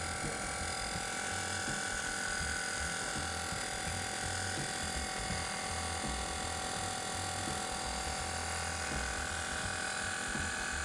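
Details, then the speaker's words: BMW with air suspension: air compressor (rear center under bumper) runs with a steady continuous buzzing hum but the lowered rear won't lift; faulty compressor, fixed by replacing it with a new aftermarket unit. "The compressor can be heard running but the car does not rise. It can be observed that the rear suspension of the car is lowered. The compressor, as you can hear, is working, but the car does not lift at the rear."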